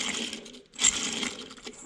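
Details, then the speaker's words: Transmission bearing from an antique Caterpillar RD4 that made bad noises, spun by hand: dry, gritty metallic rattle; worn-out bearing. "And that thing is just completely junk. And we have this bearing up here, also junk, with an eighth inch of play in it."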